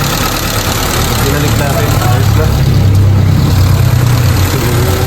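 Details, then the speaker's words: Honda City after distributor setup restored to original, check engine cleared, still cold, before aircon on: steady even low idle with no misses, hunting or surging; idle correct, high-idle fault fixed. "O na yan na ganyan kababa so malamig pa rin ganyan kababa yung setup niya. Yan yung setup niya nung una"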